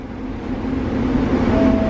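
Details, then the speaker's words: Grain dryer's conveying blower motor kicking on to push air through the pipes to the bin while the dryer is full and burners heat the plenum; steady airy roar building as it comes up to speed, normal blower operation. "you can hear the air system kicked on is that this motor back here run on the air through the pipes"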